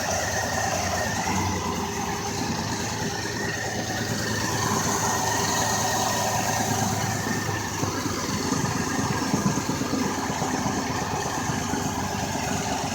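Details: 2004 Ford Escape: quiet, even idle with a soft steady hum and no ticking or popping; the engine is running normally at idle.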